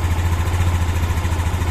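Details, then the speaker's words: Yamaha Xeon 125 scooter after engine rebuild for a klak-klak knock, connecting rod and bearings replaced; smooth, low, evenly pulsing idle with no knocks or rattles, noise only from open covers. Normal idle. "Jadi ada suara berisik karena masih terbuka aja. Oke ya teman-teman. Nah, kita coba dengarkan suaranya sehalus apa."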